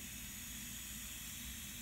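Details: Diverter (power splitter) valve on a pressure test bench at only 10 psi: loud steady hiss of air leaking past the valve.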